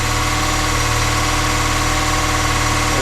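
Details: Volvo 480 finally running after a troubled thermostat replacement, idling to burn off excess fuel: a steady, even low hum with no misses, knocks or hunting. The owner suspects a small vacuum leak; normal idle.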